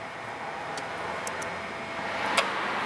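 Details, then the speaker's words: 2006 Jeep Grand Cherokee that overheats at idle: the cooling fan relay clicks on via scan-tool activation over the idling engine, but the electric fan never runs. The fan assembly was diagnosed as bad. "alright so technically if we hit right I heard the release turn on here I hear the relay clicking"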